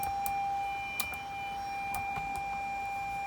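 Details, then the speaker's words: Audi A4 rear reversing sensors after fitting a secondhand sensor and cleaning connectors: clean high-pitched alert tone sounds as someone approaches closer; sensors working properly. "and i think they are working and you can hear that i come closer and closer and back actually you're working"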